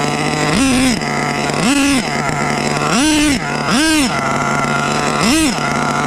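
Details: HPI Savage 21 with rebuilt Dynamite 28 nitro engine on a cold day, idle set a bit high: keeps surging to a high buzzing scream in bursts instead of settling back; radio lost signal; engine runaway.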